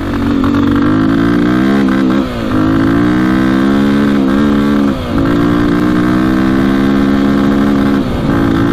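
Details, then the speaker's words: 2002 KTM 400 EXC single-cylinder dirt bike ridden on a 60 mph road, loud uneven rough note with stumbles every few seconds, getting worse; poor running under load, cause unknown. "i don't know what the problem could be not sound good what the heck"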